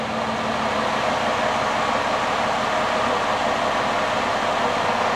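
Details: 2009 Ford Escape six-cylinder (about 3.0 L) after intermittent misfire diagnosis: even, steady idle hum with no skips or stumbles; power balance flat, all cylinders contributing, idling smoothly.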